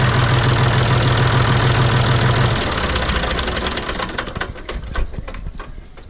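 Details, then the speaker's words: John Deere 5205 diesel tractor just after replacing Stanadyne DB4327-5913 injection pump, coolant not yet refilled: even clatter at idle then winds down with scattered ticks; no misfire, knock or leaks. "yeah she sounds really good doesn't look like i have any issues here or leaks or"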